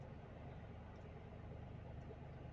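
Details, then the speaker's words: Renault Triber 1000cc Energy petrol engine warming after a cold start, idling near 1000 rpm before dropping toward 800–900 rpm: a quiet, smooth, even hum with no knocks or ticks, a normal cold fast idle. "अब धीरे से यह jar PM से नीचे 800 PM 9 4 p.m. के बीच में जाएगी लेकिन अभी हजार के आसपास है"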